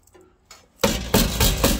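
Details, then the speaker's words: 1984 Chevrolet C10 with new rockers welded in: four sharp tinny clanks as the body is shaken, the inner rocker panel rattling against the outer because they are not yet welded together. "can hear it rattle. That's the inner rocker rattling against the outer."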